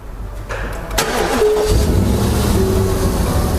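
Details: 2009 Ram 1500 just after drive belt and tensioner replacement: short crank catches cleanly and settles into an even idle with a smooth belt, no squeal or flapping; normal start and idle.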